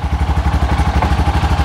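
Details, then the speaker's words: Cub Cadet Challenger 500 UTV (HiSun), believed to be a 2013, that won't move after a wet clutch replacement; belt is tight. In neutral, a steady single-cylinder thump at about eleven firing pulses per second, even and clean. Normal idle in neutral. "so let's fire this thing up so we're setting in neutral"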